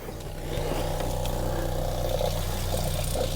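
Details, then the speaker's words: Newly installed caravan fresh-water pump, tap off: steady, even low hum as it starts drawing water; pump running normally. "starting to suck up water. We'll turn the tap on and just purge the air out of the line and make sure the pump's in tune with where it needs to be with those adjustments."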